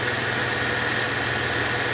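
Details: Mercedes E320 idling right after a new belt tensioner and idler pulley replaced a noisy used junkyard tensioner: an even hum with a smooth hiss and no chirp or squeal from the belt area, a normal idle.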